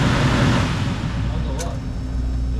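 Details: Older furnace blower after maintenance and belt retension, belt left with some play to spare old motor bearings: even low hum, no squeal or screech, so belt not slipping and drive running smoothly.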